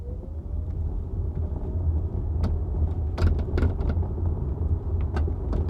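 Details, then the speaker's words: Hyundai Ioniq 5 driving over bumps, mic in the trunk beside the rear hatch: scattered sharp rattles and clacks in bursts over road rumble. The rattle is exaggerated by the mic placement and has been present for months; the car is going to service under recalls and a TSB for the rattle. "wow this rattling sounds extra horrible on the recording just to remember the microphone is in the trunk of the car right now sitting right next to the hatch"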